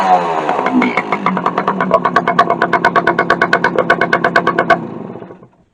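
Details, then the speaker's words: 1964 Suzuki K11 two-stroke after carburetor rebuild, muffler baffle removed, cables not yet adjusted: loud, crisp popping about three beats a second, even and steady before cutting off; runs fine, just noisy. "So I did try it a little bit earlier and it runs fine. Seems like it anyway. Doesn't have a baffle in it right now."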